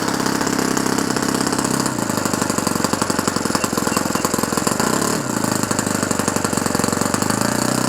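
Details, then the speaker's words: Restored OS FS-120 Surpass 20 cc four-stroke with 15x8 prop, finishing its second break-in tank. A fast, burbling, uneven popping idle, too rich, so the idle needle is being leaned; the idle is still high afterward. "On va serrer un peu le pointeau de ralenti parce que il est un peu trop gras."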